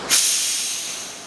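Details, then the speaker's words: Pool filter backwash procedure with pumps turned off: sharp hiss bursting and fading over a second as pressure is relieved from the filter before turning the valve, normal and needed to avoid tearing the spider gasket. "Next thing right here, we're going to relieve pressure."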